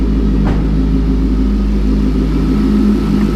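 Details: Healthy LS2 V8 long block (turbocharged) running before removal, revving then settling to normal idle on a 40° day: deep, steady, smooth rumble with no knocking or ticking; electric turbo oil scavenge pump buzzes nearby.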